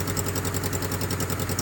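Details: Suzuki F10A engine just after top overhaul, running without radiator coolant or muffler: steady even idle with regular low pulse, loud open exhaust, no misses, knocks or ticks; no smoke or oil spatter noted.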